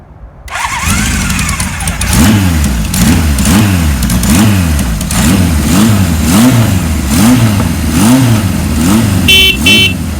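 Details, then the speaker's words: 1978 Kawasaki KZ1000 LTD four-cylinder, long parked outside, cold start on choke with fuel on reserve: fires quickly, then regular rev blips about once a second, clean and even; normal healthy cold start. "So we're gonna try to fire it up and see what it sounds like. We got it on reserve. Choke is on. The motor is cold."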